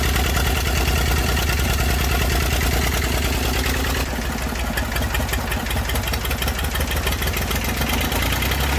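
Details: Massey Ferguson 35 diesel tractor, sat in woods 20+ years, revival start with water and fuel leaks: low, steady chug about three beats a second, even idle with no knocking; running fine.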